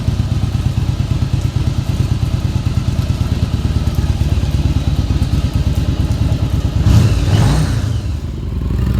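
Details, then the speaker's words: 1989 Yamaha Virago XV1100 first start after about 7 years idle, cleaned stock dual Mikuni carbs; a loping twin idle that is slightly off, a clean throttle blip near seven seconds, then it settles, running normally. "it sounds like my idols off a little bit but they still throttle up oh yeah sound like we got us a runner"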